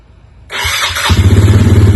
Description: this is a Polaris outlaw 110 EFI four wheeler that wouldn't crank only click the brushes in the starter were stuck so I took it apart and fixed it and put it back together